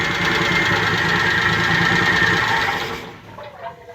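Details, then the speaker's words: Suzuki Multicab engine running with the valve cover off, after the low oil pressure fix restored lubrication: quick, regular ticking about four per second until shutdown. Valve tap from loose valve clearance, to be readjusted. "So, ito i-clearance natin ulit. Kasi medyo malagatak eh. I-clearance natin."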